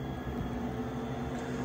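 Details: Gas furnace in heating mode with the hot surface igniter unplugged to simulate a bad igniter: a steady low hum with a constant mid-pitched tone and no rattle or scrape. The draft inducer motor runs normally at cycle start.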